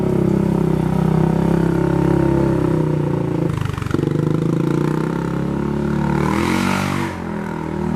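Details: Polaris 570 ACE engine after a full rebuild for a knock from a dropped crank and rod: new crank, valves, high-compression parts; first runtime. Revs cleanly and settles to an even steady run, no knocks or rattles; normal running.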